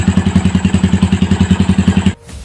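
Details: Yamaha Vixion (old model) at idle, before teardown: low, even knock about ten times a second on every idle beat until shut-off; worn connecting rod big end, clearance measured about 0.25 mm, too loose; connecting rod knock.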